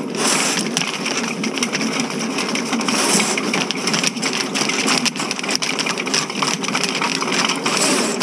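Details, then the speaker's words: Electric snake cable run through a cleanout into a clogged ladies' room sewer line at a renovated movie theater, water added: continuous harsh scraping and rattling as the cable chews at a hard blockage, found to be grout. "oh I can hear it might be a turn if you listen real close you can hear the cable and we're no all right we're going to give him some more water"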